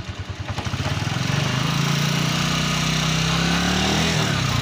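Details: Italika 150 GTS motorcycle in third gear after replacing the damaged gearbox gears that rubbed in third: engine pulls up and settles into a smooth, steady drone with no grinding or rubbing; gearbox now healthy.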